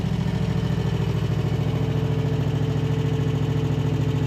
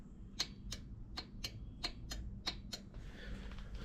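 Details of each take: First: Husqvarna RZ5424 zero-turn mower, just running again after a hidden safety switch was found; starter still sounds bad. First hydrostatic drive test: steady, even engine firing with a smooth throttle change, hydro sounds good and tracks straight. Normal running. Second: Husqvarna zero-turn mower that won't crank: sharp solenoid clicks in pairs as the key is cycled, no cranking; battery 12.54 V and fuse good, so power reaches the key switch.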